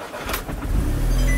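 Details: Audi S3 TFSI after replacing a slightly rattly cam timing chain, second start attempt with the vacuum lines reconnected (the first attempt sounded off): a short crank, then it catches quickly and settles into a steady low rumble; it sounds better and smooth.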